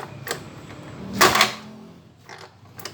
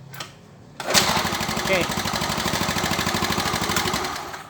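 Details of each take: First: Yamaha Mio Soul scooter with a hard start: irregular sharp pops and coughs as it backfires through the carburetor and won't catch; carburetor is new, and compression and spark check normal, so ignition timing is suspected but not confirmed. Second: Yamaha Mio Soul with hard starting and carburetor backfiring, ignition timing suspected, tested with the original CDI: small single-cylinder engine catches and runs with an even, steady putter for a few seconds before shutting off; runs normally.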